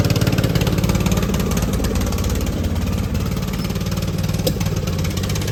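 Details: Poulan XT gear-drive 42-inch lawn tractor single-cylinder with new aftermarket carburetor: uneven chugging with dropped beats, pops and hunting surge; misfire, spark plug suspected.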